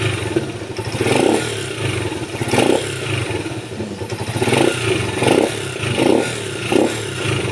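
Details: Motorcycle that died when the throttle was squeezed, after carburetor cleaning and spark plug gap checks, now running after a part was fitted: quick throttle blips rise cleanly and fall back to idle without stumbling or stalling; normal throttle response.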